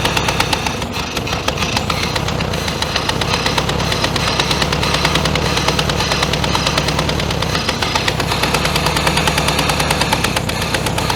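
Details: 1966 VW Beetle flat-four, unrun for ten years, chugs with an uneven stumbling beat and a regular missing pulse, not staying running. Misfire on one cylinder; owner suspects poor spark plugs and possibly an intermediate jet carburetor issue.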